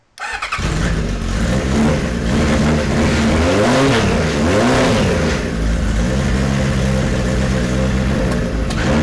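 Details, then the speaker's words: 1973 Kawasaki Z1 900 four, started with enricher after plug caps changed from resistor to non-resistor: catches and revs unevenly, pitch wandering and stumbling, running worse than the day before; rough running, cause not confirmed. "well now it's not running as good as it did yesterday he just doesn't want to run little bit better"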